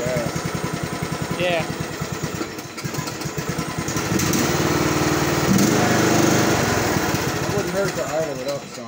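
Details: 2013 Briggs & Stratton 17.5 HP single-cylinder OHV engine on a Craftsman riding mower, after valve lash adjustment and fresh gas: even thumping at three to four beats a second, revs up smoothly and holds steady; runs normally.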